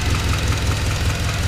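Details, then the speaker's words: Turbocharged Honda CR-V after the boost-controller hose blew off, over-boosting and running lean: lumpy idle with a heavy thump about five times a second breaking the rhythm; misfire at idle, smoke from the valve-cover breather, owner suspects a ring or valve. "It's not doing good. So we're gonna dive into it and see what we find."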